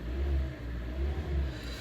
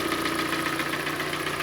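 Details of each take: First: 2014 Hyundai ix35 2.0 G4NA, 102,000 km, automatic, front-drive, after repair of scored cylinders and piston knock: smooth throttle blips rise and fall cleanly with no knocks or rattles; normal revving. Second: 2014 Hyundai ix35 G4NA 2.0 petrol, automatic, front-drive, 102,000 km, idling: steady rapid metallic clatter from piston slap due to scuffed cylinders, reportedly after hard driving.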